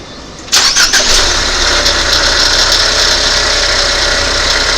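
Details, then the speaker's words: 2019 Ford Fusion 2.0L EcoBoost starting and settling to idle with a dry, uneven metallic rattle from a worn alternator bearing. The alternator is being replaced. "you can hear that rattling. Doesn't sound so good, does it?"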